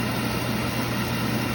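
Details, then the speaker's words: Beckett oil burner after replacing the motor and start capacitor (no-heat fault): steady even hum as blower turns the oil pump, no grinding or squeal; normal burner motor run. "hear the blower running and it's turning the oil pump i'm assuming this thing is going to fire up"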